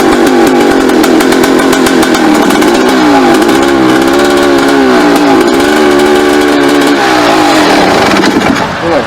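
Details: 1989 Suzuki RMX 250 two-stroke after new crank seals, oily exhaust: high buzzy note wobbling and surging, hunting rough uneven running; owner suspects muffler clogged with oil.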